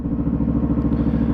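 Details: New Yamaha motorcycle after break-in oil change, on rear stand, in neutral, oil pressure light out: short quick even idle thump, steady beat, no ticking or clatter; normal idle.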